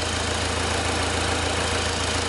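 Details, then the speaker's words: Owner's own diesel winter hack idling with a delta pressure-pulse sensor in the intake manifold past the throttle plate: an even, steady idle with no misses or stray knocks, just a smooth constant rumble. The engine is running fine. "now this engine is running perfectly all right as far as i'm concerned it's actually one of my own cars"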